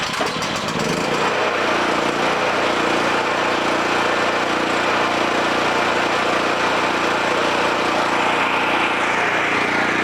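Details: Homelite 5000-watt generator after replacing the AVR and re-exciting the field via battery charger on the brushes: steady even engine drone holding one speed, no surging, misses or knocks; now producing power, running smoothly.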